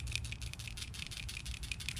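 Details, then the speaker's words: Old PCV valve removed from a 2007–2011 Jeep Wrangler 3.8L V6, shaken by hand: quiet, light clicking from a free internal rattle, showing the valve is still good. Normal PCV valve rattle. "That means your PVC valve is still good. Here's a closeup of what the new one looks like. See how it still shakes?"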